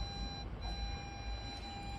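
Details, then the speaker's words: 2007 Audi A4 B7 Avant in reverse with nothing behind: a steady, unbroken high parking-sensor beep that stops and restarts, now persisting longer; faulty sensor not yet identified. Continuous false parking sensor warning. "și Gândiți vă Cât este de enervant până dai pe spate să auzi zgomotul ăsta"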